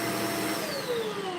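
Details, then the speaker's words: Vacuum after a small obstruction was cleared from the hose: a strong, steady motor whine that drops slightly in pitch as it loads up pulling air. Suction problem solved; normal suction. "There was something in the hose. That's probably, you know, not not much, but it was something hanging around. Just enough to stop the other guy. But that's it, guys. And we solve our suction problem."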